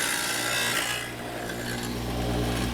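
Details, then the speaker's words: Ryobi WS722 wet tile saw ripping one inch off tile with slow feed: an even whir turns rough and scraping, the blade catching on something right at the end of the cut. "catching on something"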